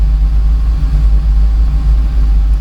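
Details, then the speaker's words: Torana after raising the idle, fan on: deep, even rumble holding steady at about 750 rpm without hunting. Normal idle. "that's better yeah that's better so it's not going below 750 uh that did but yeah that's okay I think we'll leave it at [Music] that"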